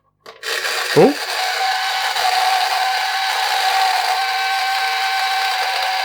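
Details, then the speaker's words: Addams Family "Thing" coin bank marked 1966, on two U11 (C cell) batteries, reported not grabbing coins, after a 10p coin is dropped in: the small motor and gears whir loudly and never stop; the owner guesses something is stuck. "Sounds like it's going to explode. I'm guessing it's stuck somehow."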